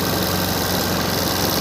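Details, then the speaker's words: Suzuki Access BS6 fuel-injected scooter showing FI warning and check-engine light; engine idles fast and steady, revs held well above normal tick-over with no dip. Mechanic suspects a cut or broken wire; cause not confirmed. "FI मतलब आपको दिखा रहा हूँ, पहले engine fast हो रहा है, ये देखो इधर FI लिख के आ रहा है और इधर इंडिकेटर से मतलब बता रहा है।"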